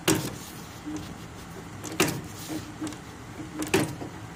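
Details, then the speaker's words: 1970 Harley-Davidson gearbox stuck between fourth and third, engine not running, rear tire spun by hand: slow, uneven heavy thumps about every second and a half while the wheel won't drive; stuck-gear cause suspected, not confirmed. "I mean I can spin the rear tire goes thump thump thump and this is not moving."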